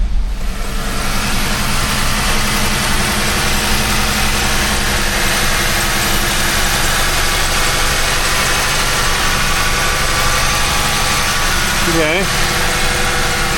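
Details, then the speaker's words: Jeep Wrangler 3.6 Pentastar V6 with P0172/P0175 running-rich codes, started with short-term fuel trims at zero: steady, even idle with a smooth low hum and no misses; seems fine so far. "seems so far so good, I suppose."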